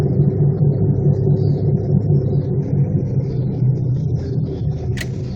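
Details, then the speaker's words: 1999 Chevrolet Malibu at about 35 mph at night: heavy, steady low rumble from badly worn wheel bearings needing immediate fixing; brakes recently replaced. "so dude was saying that was the worst bearings ever heard he couldn't believe it check these out this needs fixed immediately"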